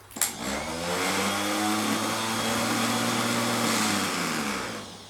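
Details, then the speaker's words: Old Land Rover Series starter motor, off the vehicle and bench-tested unloaded: click, quick whirring spin-up to a steady even whine, smooth wind-down; healthy starter free spin. "they're both behaving how a starter motor should obviously not in the load at the moment"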